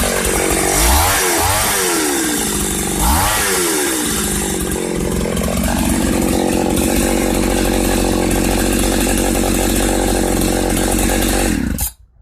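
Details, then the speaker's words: 1995 Ardisam 8900 Earthquake two-stroke auger after repair with a rebuilt Tillotson carburetor, run after a cold start: blips up and down twice, then holds a strong, even high-speed buzz without stumbling before cutting off. Normal running. "This Artisan Earthquake-Auger is ready to dig some fence posts for a hammock."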